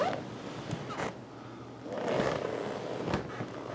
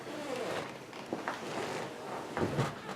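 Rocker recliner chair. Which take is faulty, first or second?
second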